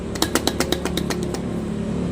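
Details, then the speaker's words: Starter motor removed and shaken during reconditioning before reuse, already disassembled: sharp, loose clacks about eight per second that then fade; it rattles because an internal part is missing. "Binaklas na ito. Kulang ang piyesa sa loob. Kumakalog."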